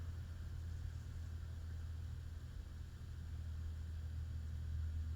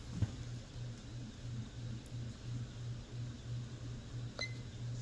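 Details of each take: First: Hunter/Robbins & Myers Type 22046 Original vintage ceiling fan on solid state speed control, oil working in: low steady electrical hum with slight winding squeak varnish might quiet, no knocking; faint motor hum, suspected present without solid state too. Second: Hunter/Robbins & Myers Type 22046 Original vintage ceiling fan on medium, camera far away: quiet steady hum with soft even pulse, no ticking or rubbing, good air movement; normal running.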